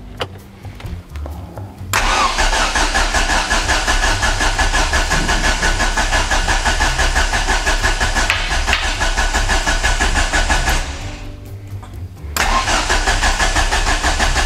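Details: Ford Focus RS being restarted, no booster battery: long bursts of steady starter cranking with rhythmic chug and clacking, but engine never catches; cranks without starting, cause suspected, not confirmed.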